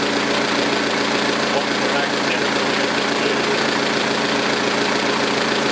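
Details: 2006 Saturn ION Redline with GMR cams and stock lifters at idle: quick even lifter tick about three or four per second; owner concludes solid lifters needed.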